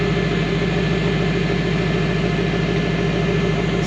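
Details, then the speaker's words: Fox body Mustang with CSU carburetor, warm, new fan switch installed, fan kicking on near 185, almost 90 degrees outside: steady, even idle about 200 rpm higher than before, smooth, no misses or knocks, cooling fan running; normal idle. "here so it's kind of weird that it's uh like it's ided up few 200 RPMs after doing that does sound smooth though"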